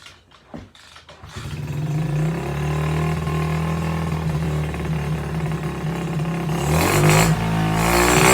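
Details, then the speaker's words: SSR pit bike, small single-cylinder, just fitted with a new carburetor: fast idle that hunts and stumbles slightly before revving. It runs rough; the owner suspects a wrongly sized carburetor or jetting, or an air filter that is too open. "yeah it's not running great it could be that that air filter is too wide open sometimes it needs a little bit more restriction but it's probably that that carburetor is not sized correctly or the jetting is way off"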